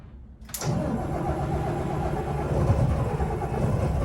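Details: 25-year-old Volvo mechanical diesels on a 2000 Pursuit 3400 boat, first start after a long cold winter: quiet, then it catches quickly into a rough, low diesel clatter and settles into a steady idle. Clean cold start.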